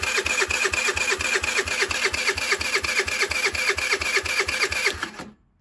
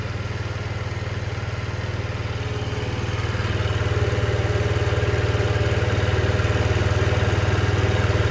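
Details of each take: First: 2007 Diamo Retro 50 GY6 scooter with a new intake tube. The fuel petcock works and fuel is present, yet it won't fire. Even, rapid cranking pulses, about two a second, with a clicky metallic ring and no firing. Crank, no start; cause unconfirmed. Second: 2007 Diamo Retro 50 GY6 scooter with a new intake tube, idling after a starting-fluid start; fuel is flowing, and owner suspects valve adjustment behind the no-start. Low, even putter with regular firing pulses and no miss or clatter. Normal idle.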